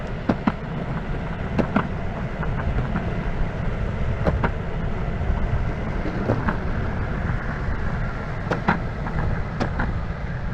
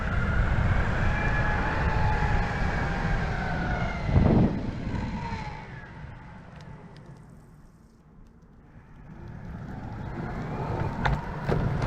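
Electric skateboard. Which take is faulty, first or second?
first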